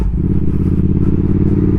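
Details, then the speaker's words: Triumph Speed Twin 1200 with Brembo brakes, cold, stopping at low speed after an anti-squeal fix: steady low engine rumble through the stop with no brake squeal. "ça arrive des fois que ça grince pas peut-être que ça je fais à chaud peut-être alors là à froid en tout cas ça grince par donc c'est bien"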